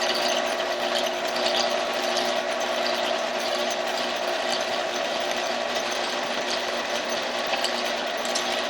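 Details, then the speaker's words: 1948 Kwik Way boring bar boring a chopper motorcycle cylinder, feed engaged. A light, steady whir and gear ticking with no scraping; the cutter is not yet contacting the cylinder wall, running without cutting. "not putting anything yet to default by the sound"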